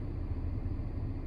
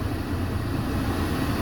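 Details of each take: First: 2010 Mercedes C300 (W204), A/C on and blowing cold: blower heard speeding up through bars two to four, then steady low rumble that never climbs at five, six, seven; stuck at fourth bar, suspected failed blower motor voltage regulator (resistor), motor believed fine. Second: 2010 Mercedes C300 (W204) blower motor after replacing voltage regulator (resistor), engine running, AC on: strong, steady air rush with even hum, no rattle; fan now passes fourth bar to full speed, normal.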